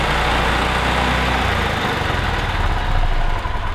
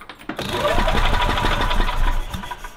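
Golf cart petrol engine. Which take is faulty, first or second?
second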